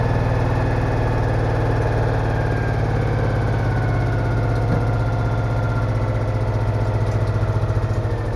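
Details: Citroën Méhari air-cooled twin idling after exhaust leak repair, fan refitted, check before test drive; steady even low thrum, smooth firing rhythm, no knocks or leaks; healthy.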